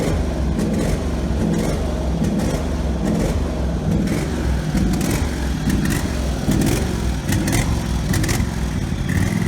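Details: Husqvarna 48 GLS lawn tractor whose engine had been racing out of control. The governor now runs on only the high-speed spring, with the idle screw setting minimum speed. It holds a fairly even low rumble without surging, though it surged at other times because the spring is inappropriate.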